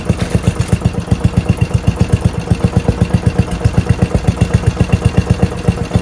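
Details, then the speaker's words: Murray mower 12.5 hp Briggs flathead single with new Nikki carb replacing 25-year-old original (fuel solenoid removed), new fuel line, throttle set all the way down: even low putt-putt about four firings a second, no misses; normal healthy idle. "All the way down. That's good idle right there."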